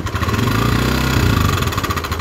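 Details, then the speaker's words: Motorcycle engine revving with an uneven rough knock located at the cylinder head, oil spurting when throttled; rough top-end knocking noise, cause not yet identified. "sekarang kita mendengarkan dari suara kasar ini berada pada kop"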